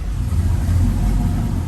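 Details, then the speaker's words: 1979 Toyota with an LS V8 swap and Holley Terminator X Max, in neutral with the clutch in: fires right up and settles to a deep, steady, super-quiet rumble with no misses. Cheap headers may be slightly leaking; the alternator is failing. "So you see it fires right up. Super quiet."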